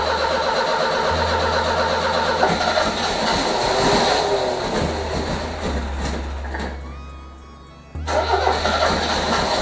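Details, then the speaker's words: 1978 MGB convertible after replacing two bad relays: cranks and catches, then stumbles with irregular pops and sputters instead of settling; owner suspects spark plug wires three and four swapped, cause unconfirmed. "cranks but it sits there and sputters and it pops it sounds like we got plug wires that's all backwards"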